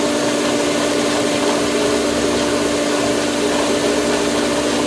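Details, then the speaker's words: Polaris pool cleaner booster pump starting in filtration mode, camera resting on the pipe, line still filling; steady loud droning hum with rough rushing, churning edge at constant pitch; pump air-locked before it catches prime automatically. "The uh Polaris pump is gonna air lock and it just makes the most awesomeness sound when it catches prime, so to speak. It all happens automatically."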